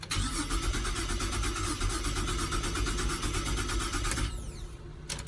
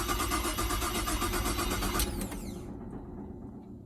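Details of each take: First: Holden Commodore VZ with earlier no-crank, original key and original modules refitted, battery reconnected: rapid even cranking builds into a steady running engine, brief dip then keeps running; cranks and starts. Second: Holden Commodore VZ: the starter cranks steadily at about four beats a second with no firing, then winds down. Crank, no start; the owner suspects the ignition.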